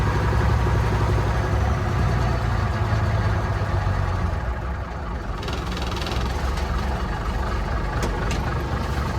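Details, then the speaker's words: 1965 Mack B61 turbo Thermodyne diesel, cool May morning start after fuel filter change, air bubble in the fuel line; truck acts like it's running out of fuel: very slow, lumpy idle with uneven beats about three a second, extremely low idle, cause unconfirmed. "truck idle is extremely low"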